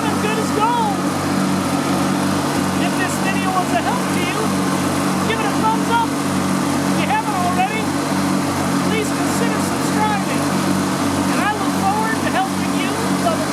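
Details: Riding lawn mower after fuel and electrical repairs, started with choke on and a slightly weak battery: engine catches and settles into a smooth, even drone with no misses or surging; running properly.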